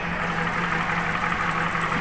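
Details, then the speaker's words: Nissan X-Trail T31 with CVT filled with wrong transmission oil, engine bay: steady idle with lumpy, uneven low beat and faint knock, engine shaking and limping; rough idle, engine repair to be advised separately. "juga sedikit kincang seperti ini goyang nah ginjal ya dan ada sedikit suarak seperti itu"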